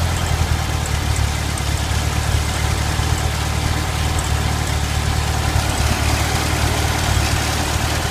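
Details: Stock 1971 VW Super Beetle, single-port 1600, at idle: loud low idle with an uneven lope and occasional stumble. Slight misfire began after the distributor condenser came loose. Compression is 100 psi on all cylinders and the plugs are new; owner suspects spark.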